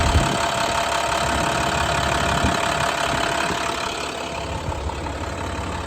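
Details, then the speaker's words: 2012 International PB105 short school bus diesel at settled warm idle after running about 10–15 minutes; steady even clatter, no misses or odd knocks — normal diesel idle. "It's been running here for about 10-15 minutes."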